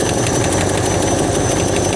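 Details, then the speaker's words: Roughly 60-year-old Ford Galaxie V8, hot, at idle: a lumpy low beat with a slight tap and a steady airy hiss on top, an intake vacuum leak whose location is not yet found. "Yeah, we got we definitely got a we got a vacuum leak somewhere."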